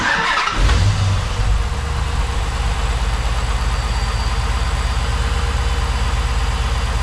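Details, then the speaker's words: 2010 Dodge Challenger SRT8 V8, first start after a Volant cold air intake install: starter cranks, one sharp pop, then a steady lumpy idle; one-off start-up backfire, possibly from richer air, cause unconfirmed. "I got the little bit of a backfire the first time. I don't know if it's because we got a little bit of richer air going through, but Yeah, sounds good."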